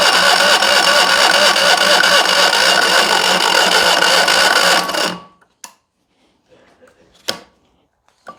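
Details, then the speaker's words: Fiat 126p carbureted petrol engine fed only lamp kerosene as an experiment: steady, rapid cranking churn at about three beats a second, then it stops dead with no catch. Cranks but will not start on kerosene alone. "okazało się że na samej nafcie on nie zapali"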